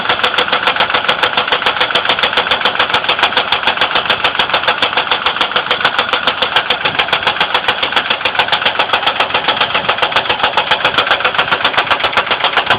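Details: 2002 Ford Windstar 3.8L knocking at idle: sharp, regular ticking about three and a half per second, louder than the idle; oil level raised with light-brown milky oil appearing overnight, coolant not significantly low; cause unknown.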